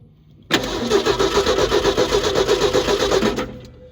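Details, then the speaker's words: Neglected 1968 Ford F100 with 240 inline-six and points ignition, long sitting, coil hot-wired from the battery: steady starter cranking about four turns a second for three seconds with no firing; no spark at the coil wire. "It does not seem to have any spark. I am not at all surprised by that, because most of the time, once point ignition sits for a long time, it needs some attention before it'll run again."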